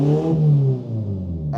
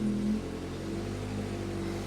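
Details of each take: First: 2002 VW Polo 1.4 petrol, no power, P1553, EPC light, exhaust opened ahead of blocked catalytic converter: loud open sound, revs freely and settles without hesitation, no EPC light; blocked exhaust confirmed. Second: 2002 VW Polo 1.4 petrol, EPC light, code P1553, very low power; throttle valve opens wide but engine only drones low and dies away instead of revving.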